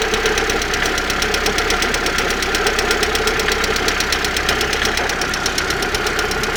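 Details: Engine at steady idle with sharp metallic ticking at roughly three per second from around the exhaust manifold; knock, cause not yet clear.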